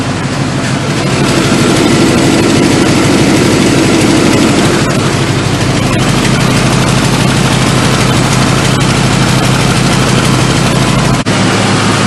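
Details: Truck idling after a broken bolt was removed from the exhaust flange: deep, even idle pulsing about three times a second with no exhaust tick or puff. The exhaust sounds sealed and healthy after the repair.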